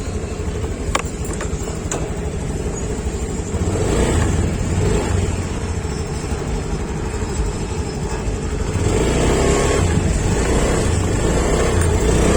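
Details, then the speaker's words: Honda Beat Sporty Deluxe scooter (year stated 2021), previously stumbling on initial throttle; revs rise smoothly and strongly off idle with no stutter. Normal throttle response, no longer stumbling. "ini untuk gas awalnya enak udah enggak merebet lagi"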